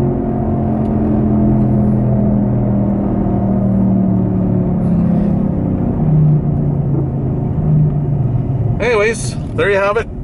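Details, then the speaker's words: 2003 Saturn Ion cruising at about 80 km/h (50 mph): steady low droning growl under the road noise, once mistaken for bad tires; a worn driver-side front wheel hub bearing, found by spinning the wheel, before replacement. "so you can hear it in case you're wondering i always thought it was just some my tires were bad but here we go that's quite loud"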